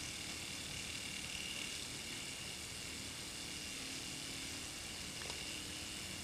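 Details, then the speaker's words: Hero of Alexandria aeolipile model steam engine at about 3000 rpm, nearly out of water: faint, even hiss of steam jets with no knocks or rhythm changes; rotor spinning freely, normal high-speed run. "doing about 3000 rpm it's about to run out of water"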